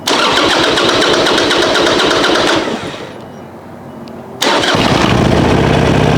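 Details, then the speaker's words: 2005 Harley-Davidson Sportster 1200 Custom, cold start on choke the day after fitting a new TYKOOL lithium battery, left in overnight: lumpy, steady V-twin beat about four per second, a brief lull, then an even run. Starts and holds idle fine. "So I'm gonna start it up, and I'm gonna let it warm up a little bit until it can run without the choke on, and then that way you guys can see that it, the battery keeps the bike running nice and strong, hopefully."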